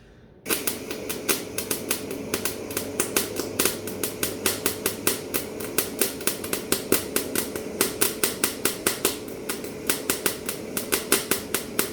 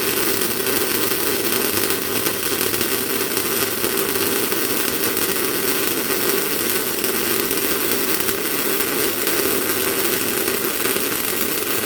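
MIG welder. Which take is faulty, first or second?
first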